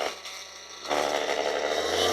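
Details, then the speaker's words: Ryobi polisher after regreasing, running at 3800 RPM: the motor whir rises with a buzzy rattle layered over it from the battery pack vibrating in its mount; otherwise smoother and quieter than before the new grease. "3800 now these batteries vibrate listen yeah just"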